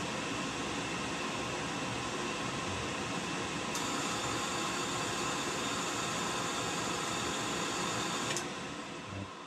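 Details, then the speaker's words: Oil-fired whole-house furnace after air setting adjusted to about five and a half: steady fan whoosh, no flame roar, timed out after 90 seconds; not igniting, later traced to sooted burner and dirty cad cell. "no this timed out for 90 seconds it's been time 90 seconds"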